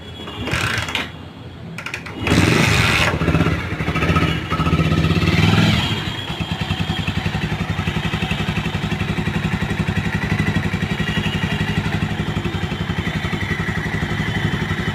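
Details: Bajaj Pulsar 150 single-cylinder motorcycle: after a rough start settles into fast, even-ticking idle with faint metallic clatter; engine noise, source unclear.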